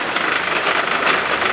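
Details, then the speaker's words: Old electric trimmer, modified, burning under heavy load: harsh strained high whir with rough uneven edge; small motor overloaded and burnt up shortly after. "we have it's working extra hard keep it"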